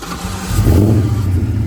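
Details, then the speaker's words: Fox Body Mustang with a swapped-in Coyote engine, started with the clutch in: catches within half a second and settles into a deep, steady, even run with no misses or knocks; the engine sounds healthy. "engine looks fine engine looks good engine sounded like it ran healthy"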